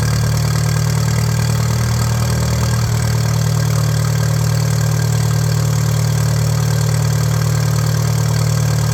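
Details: 1941 Case SC tractor, run without coolant: steady deep even thump about 200 beats a minute, no knocks or misses; carb still needs tuning, no fuel leaks, 30 lbs oil pressure, healthy idle.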